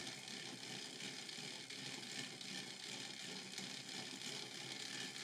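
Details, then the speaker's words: Dapol Pug model locomotive with newly fitted coreless motor on a rolling road, before adding weight and cabin, crawling slowly from about 20 power: faint raspy whirr with snatching flutter; rough noisy running, motor or connecting rods suspected. "it is quite noisy so I wonder whether some of that noise will go away once we add a bit of weight and put the cabin all the extra bits on"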